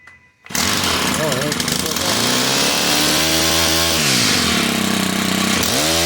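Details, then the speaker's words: Stihl HT101 two-stroke pole saw after repair of a bogging, no-power fault, at full throttle: engine catches and holds a strong steady high-pitched buzz, blipping cleanly with the throttle; runs smooth and healthy. "[Applause] yeah works perfect no problem at all"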